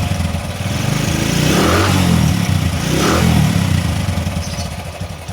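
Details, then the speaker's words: 20-year-old Bajaj CT 100 motorcycle with a starting problem from weak spark-plug current, after cleaning and regapping the spark plug: catches promptly, settles into an even putter with two throttle blips; normal starting and running. "അപ്പോൊ നമ്മുടെ വണ്ടിയുടെ starting പക്കാ perfect ആയിട്ടുണ്ട്."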